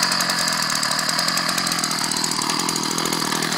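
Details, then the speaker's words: Ryobi 790r string trimmer, newly fixed after months, started in cold weather: steady high-pitched two-stroke buzz on an even, unbroken note, no stumbling or surging; normal running. "I'm turn it on just I'm good God these things move around a lot but uh it's running good as you can"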